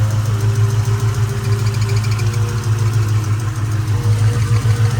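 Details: 2004 Mustang GT 4.6 V8 at idle: faint quick high chirp riding over idle; changes with clutch pedal, owner suspects too much play at clutch release side.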